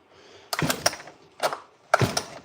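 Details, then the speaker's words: Stihl 08S chainsaw after new parts (friction plate, spring): short bursts of dry ratcheting clicks on each pull, catching unevenly; recoil starter slipping, owner suspects a stripped plastic gear inside; starter half works, better than before. "There's a plastic gear in there that strips and I think that's what's going on."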